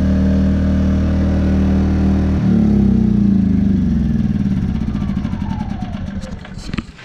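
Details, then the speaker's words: Predator 2000 W inverter generator after a fix for whistling, rough running (common after travel to different altitudes): steady even hum at eco throttle, then winds down smoothly to a stop; runs clean with no misses. "Now let's fire her up. What do you say? There you go. Eco throttle. Sounds beautiful."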